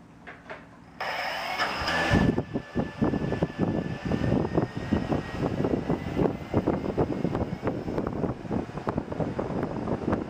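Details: Blade 350 QX quadcopter hovering after the motor four bearings were replaced with Boca ceramic bearings: the motors spool up to a steady, smooth whir with gentle pitch shifts and no grinding or rattle; the new bearings sound good and the motors run normally.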